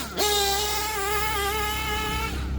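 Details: Novarossi P5XLT (Gimar P5) nitro engine in Hyper 7 buggy, broken in, warmed with head heater, fresh fuel, initial tune: high, steady scream holding revs cleanly, no stumble or bog, nothing resembling lean; running rich and healthy.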